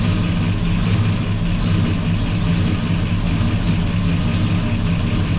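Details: 1984 Chevy truck with a swapped 454 Gen 6 7.4L V8, running with the radiator cap off: deep, steady idle with even low pulses and no knocks, ticks or misses; some smoke afterward comes off the headers (oil). Normal idle.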